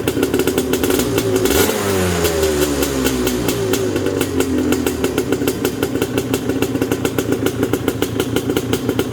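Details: Yamaha Banshee two-stroke quad with rebuilt top end (new pistons and sleeves), kick-started: crisp, even crackle that picks up cleanly on throttle blips and settles back without misses. Right side smokes more; carb sync suspected. Runs healthy.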